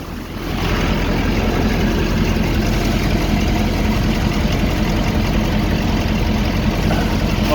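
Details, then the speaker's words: 2011-2016 Ford F250/F350 6.7 Powerstroke diesel at idle after A/C compressor replacement, A/C commanded on: steady idle with engine load change, compressor clutch clicking on and off, no knocking or grinding; normal clutch cycling, air blowing cold. "yeah she's engaged fellows yeah baby clicking on and off just like you should"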